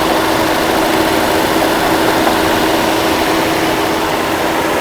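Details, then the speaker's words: 1982 Mercedes-Benz W126 280SEL, first cold start after fuel distributor repair, fuel pump replacement and excess oil removed: smooth even hum at raised idle around 1500 RPM with cold-start enrichment active; healthy engine. "Because it's currently doing a cold start. It's performing a cold start enrichment."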